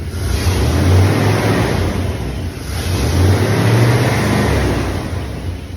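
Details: 1994 Chevy Silverado C1500 5.7L 350 V8 with new fuel filter, fuel lines and replaced sensors, distributor timing set to zero: revs rise cleanly through a few blips and settle back, no misfire or pop, running smoothly.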